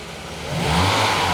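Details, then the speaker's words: Mercedes 300E W124, fully warm after 10+ minutes, after replacing crank position sensor, plugs, leads and distributor cap; revs up smoothly in one clean rise with no cough or stumble, where before it would sputter, stall and not restart until cold; normal smooth rev. "now when I rev it, it just revs up smoothly, whereas before it would cough, sputter and just conk out and then not start for ages."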